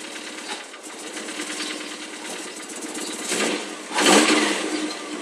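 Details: Mazdaspeed Miata, completely cold start, hood open; quick steady light knocking at idle with revs rising near the end; knock nearly disappears once warm; owner suspects a failed rod bearing, unconfirmed.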